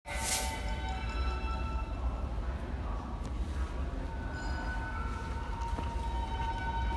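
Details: NYC subway train standing at a red signal, York Street Station; deep rumble with a thin, steady high squeak held throughout; brake squeal, cause unclear.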